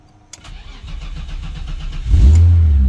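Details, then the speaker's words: BMW, about 150,000 miles, sat for weeks, started in neutral while parked: two seconds of steady cranking, then catches cleanly into an even, smooth idle with no misses; healthy start. "thing literally sits for weeks and starts right up the engine in it has about 150 000 miles"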